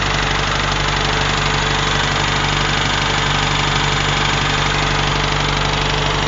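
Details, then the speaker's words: UZAM 1.5 engine after a rebuild, knock appeared by 1,400 km (none until 1,200), valves adjusted at 1,000 and 1,400 km, chain seen rubbing the tensioner's top edge. Slight choke, 1500 rpm: a regular light tapping about three times a second, source unclear. "Вот он. Как будто где-то что-то висит и что-то стучит."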